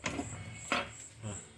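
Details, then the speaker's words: Chevrolet Corsa Montana, hydraulic steering, wheel rocked by hand: three sharp, dull knocks about half a second apart from play at the suspension pivot (ball joint), not just the steering tie-rod end; worn ball joint clunk. "Olha só pessoal me carro tá comum barulho estranho e a roda balança n tá andando subindo morro aqui"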